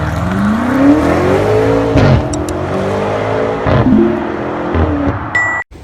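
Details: Front brakes squealing about four months after all discs and pads were replaced; high sliding squeal rising and falling with wheel speed as the car rolls. Cause suspected, not confirmed.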